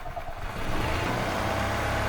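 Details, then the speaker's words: 1997 EZGO TXT gas golf cart that was hard to start after sitting, after maintenance including valve clearance adjustment with a feeler gauge: the single-cylinder engine catches and settles into a steady, even run with no knocks, misfires or smoke. Normal running. "That's actually a good sounding engine. That engine sounds good. Yeah. See, everything's moving freely."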